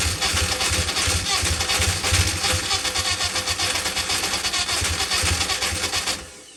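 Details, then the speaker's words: Ian Carter special Carter998 engine on the dyno, first start after a piston ring had been catching: runs with an uneven lumpy beat and a missing pulse, down on one cylinder; owner hopes it's muck on a valve face. "Oh, it's willing. Sounds like it's down in the pot there. Hopefully it's just some muck on a valve face."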